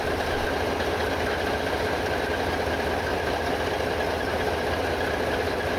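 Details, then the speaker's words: Both main diesel engines of the long-dormant ship MV Steve Irwin running after air starts, seawater cooling commissioned: steady, even low idle rumble with no knocks or misses; healthy startups. "well both startups have gone quite well both main engines are running now"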